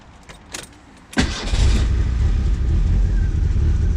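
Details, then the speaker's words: Merkur (Ford Sierra) right after ignition timing was set: short crank, then it fires at once and settles into a steady, even idle; normal start. "see starts right up everything's working"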